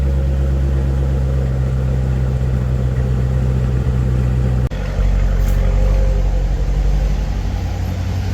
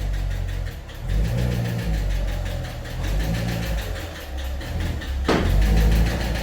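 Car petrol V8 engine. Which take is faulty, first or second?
second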